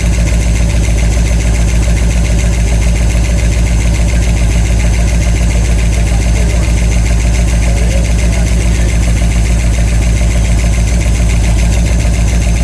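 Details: 1989 Ford E150 Econoline with 460 big-block V8, about 10,000 miles on it, after lifter replacement; steady idle with a regular tapping tick; noise persists, bottom-end problem suspected.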